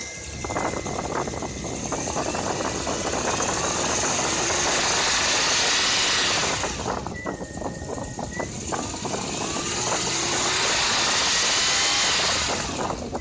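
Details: Toyota 1JZ-GE: a sharp metallic knock for two seconds on cold start and when revving toward 3,000 rpm, also while driving at 3,000, absent at idle. It grows louder as revs climb: a spun rod bearing.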